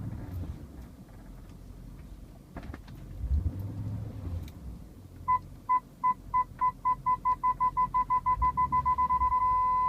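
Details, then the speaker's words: 2000 BMW E39 M5 reversing into a garage: parking sensor beeps speed up steadily then merge into one solid tone at about a foot; sensors working accurately after 13 years. "the solid beep should give me about a foot"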